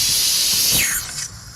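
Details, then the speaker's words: 1974 Chevy C20 AC retrofitted from R12 to R134a: sharp, high hiss of escaping refrigerant fading over a second or two at the service port; Schrader valve leaking, caps should be fitted. "okay the schrader valve's leaking so very important to put a cap on the on the valves okay this one's leaking too"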